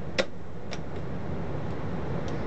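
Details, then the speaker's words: 1920s–30s Monroe High Speed Adding Calculator, possibly Model KA, with its head refitted. Entering 111 and plus, the motor turns with a low hum and a few sparse irregular clicks, but the mechanism won't engage. "and the motor is turning and it's clicking and it's not engaging"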